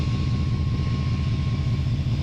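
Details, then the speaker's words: 2008 Ford F-150 5.4L 3-valve V8 running after engine replacement, no codes: thin, steady high squeal over a smooth idle; pulley squeal, suspected tensioner, which had some free spin. "Alright everybody, as you can tell, we have the truck running, and you can probably hear the squealing. We got a little bit of a pulley squeal, and we'll figure out which one that is."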